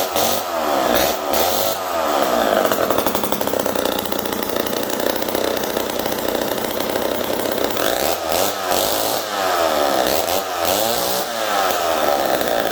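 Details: Homelite 775D chainsaw after full overhaul (cleaned piston and Tillotson carb, cleaned points, new condenser, repaired ground wire, new clutch drum): crisp high two-stroke buzz that revs and drops back cleanly, no bogging; running healthy.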